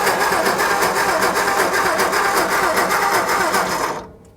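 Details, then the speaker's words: 1960 Ford F-350 that sat 34 years, cranking on the starter: steady cranking at about four beats a second with no firing. No spark from the coil; corroded points suspected. "So, we either have a points issue, which is really easy to check. Yeah, we are getting no points. No spark former points."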